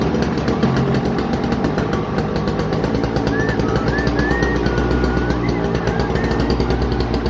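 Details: Toro CCR2450 snowblower, 141cc R-TEK two-stroke on mixed gas, after a no-start fixed by carburetor cleaning, runs with a rapid, steady firing buzz that holds speed without stumbling, music over it; running normally again.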